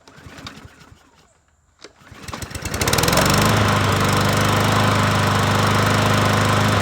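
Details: Troy-Bilt push mower, 550EX single-cylinder engine, after a cylinder head swap for a stripped spark plug hole and a valve cover leak fix; it had sat under a carport. Pull-start, then a steady, even run with no knocks or misses.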